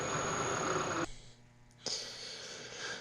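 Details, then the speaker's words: Abandoned Bridgeport milling machine spindle motor on Teco Westinghouse L510 VFD, 240V single phase to three phase, first power-up: after pause, smooth steady high whine, no knocks or grinding; normal motor run. "all right so if I turn this on okay she starts turning on so that's cool good"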